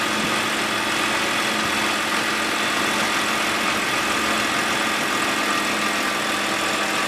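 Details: BMW E92 328i N52 petrol engine, which began rattling after a dealer replaced the VANOS solenoid; once the rattle stops it idles evenly with only a light, fast, normal valvetrain tick, and no rattle remains.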